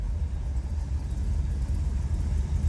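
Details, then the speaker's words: 1931 Ford Model A roadster pickup street rod with 350 V8 and tri-power carburetors, cold start; deep, low, even rumble with steady beat, no ticking or knocking, oil pressure up: normal idle. "Like I said, it's got a nice sound to it."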